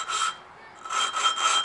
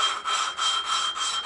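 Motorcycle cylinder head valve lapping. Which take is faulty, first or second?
first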